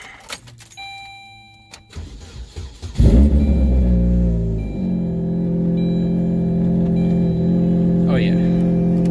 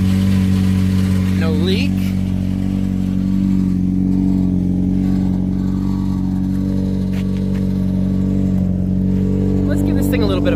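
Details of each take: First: Saturn Ion Redline cold start: loud, rough, booming idle with a puffing pulse from an exhaust leak somewhere up front, location not yet found; idle slightly wonky until warmed up. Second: Saturn Ion Redline turbo after exhaust fix, warped flanges sealed with two homemade gaskets and RTV: deep steady engine drone with a short rev, no ticking or puffing at the manifold; exhaust sealed and healthy.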